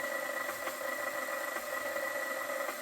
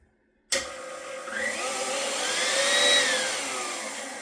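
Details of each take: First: KitchenAid stand mixer that has never had a grease service, running before the regrease: a steady motor hum with a thin gear whine and faint, irregular light clicks from the gearbox; cause unclear. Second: KitchenAid stand mixer after its first-ever gearbox regrease with food-grade grease, previously showing light clicking: a high, steady motor whine with light gear hum, no grinding or labouring; runs with less difficulty, especially at highest speed.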